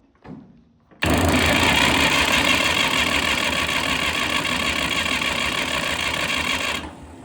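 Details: 1962 Fordson Super Dexta diesel tractor sitting 25 years, primed, glow plugs heated, two batteries: starter churns about six seconds with a rhythmic compression beat but the engine never fires, and oil sprays around the oil filter; cranks, no start.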